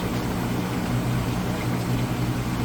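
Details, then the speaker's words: Whirlpool vortex top-load washer, first rinse spin extracting soapy water, speeding up with each spin while the drain pump runs: a steady low hum with a faint higher whir, even and smooth; normal. "The spin cycle will spin 2 or 3 times and get faster each time that it spins as the clothes get lighter and lighter. You can hear it running the drain as it spins and extracts the water out."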